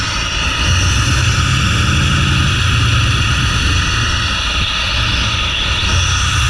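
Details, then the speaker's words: Chevy truck engine moved from another truck, where it ran smooth: an uneven, lumpy stumbling idle with backfiring; ignition timing is off. "well you know when I took it out of that other truck or when I was before got pulled out of that other truck it ran really nice and smooth but anyway it's not doing it right now hmmm backfired and everything so yeah we definitely got some timing issues"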